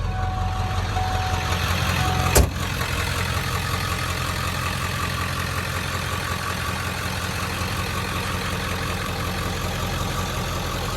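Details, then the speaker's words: 1997 Ford F-250 OBS 4x4 with 7.3 Powerstroke diesel, 125,405 miles: brief crank, fires straight away and settles into a steady, even diesel idle clatter with no misses or knocks; healthy start and idle. "let's go ahead fire this 7-3 up so we can hear it start"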